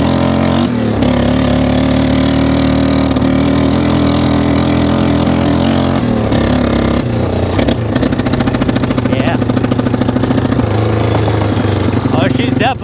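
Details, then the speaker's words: 1995 Yamaha Wolverine 350 ATV riding: single cylinder stumbling and spitting at mid/half throttle, flooding with too much fuel; idle and full revs fine; carburetor needle may be lowered about one notch. "flooding out getting way too much gas sitser and idle's good when you really rev it she seems good but when you're like mid throttle half throttle it's definitely putting too much gas into the system"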